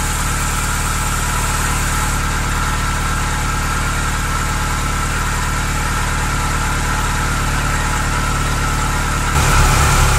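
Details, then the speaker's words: Ferrari cambelt check with the airbox off, stethoscope probe on the tensioner bearing: smooth, steady hum with no grinding, rumble or whine; check complete and everything is as expected. "okay I've just completed the check as you saw and everything is fine everything as expected is fine"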